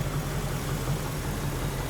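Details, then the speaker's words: 1961 Rambler frame-swap build, V8 idling at operating temperature: a steady low idle with a faint rapid patter; the engine noise persists and its cause has not been found. "Noise is still there, as expected, because I really didn't find anything. I didn't fix anything."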